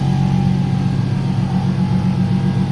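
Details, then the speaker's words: Nissan 370Z rear-mount single turbo, first start, cold idle, heard from outside: rough steady idle with a constant mechanical drone and faint whine from the turbo oil scavenge pump; sounds bad outside, inaudible inside; normal. "noise that you hear is the scavenge pump, obviously doing its job, scavenging the oil from the back. You can't actually hear it inside the car, so it sounds terrible from outside, but not a problem from inside."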